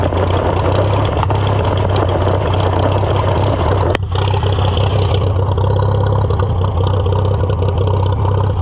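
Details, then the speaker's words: Farmall F-12 on steel wheels, auction find, restarted: steady low, lumpy, unsettled idle; runs rough with a piece fitted, owner suspects restricted air cleaner and carburetor needing rebuild. "It does not like that piece fitted on. So, let's take it off for now."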